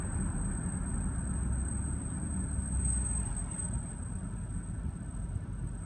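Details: 2014 Range Rover L405 at about 20 mph on a city street: thin, steady high-pitched brake squeal over road rumble; recurs every 3–4k miles until pads and rotors are replaced, Land Rover North America calls it normal.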